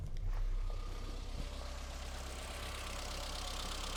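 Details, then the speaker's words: 1984 Austin Mini, unrun for a couple of weeks, started after lubricating Lucas 45D distributor and fitting new cap: low steady idle with faint stumble, no dropped firing pulses; not misfiring. Old leads and plugs still fitted. "Well, it works and it hasn't been run for a couple of weeks, so we'll forgive it being a little bit stumbly, but it's certainly not misfiring, so I'm quite happy."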